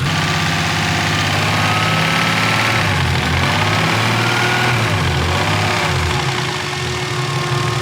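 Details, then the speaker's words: BMW E36 with newly built swapped engine after break-in and fresh oil change: even, smooth idle with steady low rumble and no top-end ticking; lifters have quieted, sounds healthy. "Yeah, they got way quieter. That one was being a real pain in the butt, dude. Idle is quiet as shit now."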